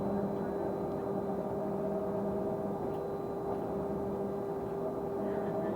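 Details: Stagecoach London North bus SLN 82060 on night route N199: steady mid-pitched whine holds constant over engine rumble and road noise; source unknown.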